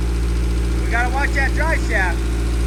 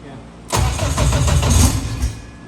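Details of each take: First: 1000 hp K-series jet boat that wouldn't restart, after ECU grounds were run directly to the battery and settings reverted. A smooth, even idle with a steady low drone that climbs slightly as it warms, no knocks or misses. Normal running. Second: 1000 hp K-series jet boat. The starter churns about a second and a half without catching. Crank no start from bad ground.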